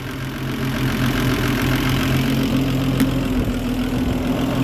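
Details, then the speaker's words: Land Rover Series 3 109, 2.6 six-cylinder, during carburettor tune-up with timing still off: engine idles fast and slightly louder with a quick, busy beat well above a normal idle. Idle speed too high; electric choke/accelerator to be turned off. "definitely too high let's kill that electric uh choke thing whatever accelerator so um so that was too high way too high"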